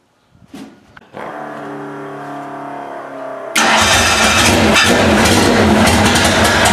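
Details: 2.3L Ford Ranger race truck on its first start after refitting the cylinder head fresh from the machine shop, with timing realigned and a cork valve cover gasket. A few seconds of cranking, then it catches with a sharp jump in loudness and holds a steady, busy idle. First start and idle.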